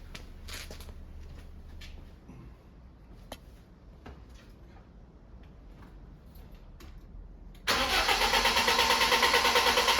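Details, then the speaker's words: BMW E36 just restored, retried after adding 15 litres of fuel with the charger disconnected: a fast, steady starter whirr cranking about three times a second without catching. Owner suspects a weak battery; cause unconfirmed. "Right, that doesn't want to go and I don't know why."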